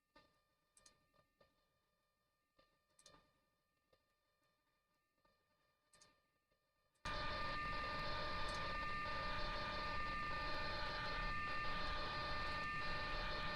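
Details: Windows 98 PC dialing a Windows XP dial-up server through a Cisco SPA112: scattered faint clicks, then steady hissing screech with fixed whistle tones of modem carrier, but link never settles; connection fails, cause not confirmed.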